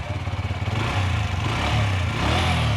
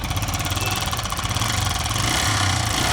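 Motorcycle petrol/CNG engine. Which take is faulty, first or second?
second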